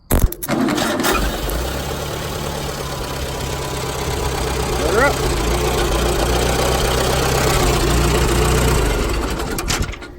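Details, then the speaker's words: Cold diesel loader tractor: it fires and runs while a thin whirring and a brief rising whine persist above the idle; the starter stays engaged and keeps spinning after the start, and the fault has not been found yet. "took my hand off and it kept turning kept trying to start finally it fired over and I could hear the starter itself still spinning"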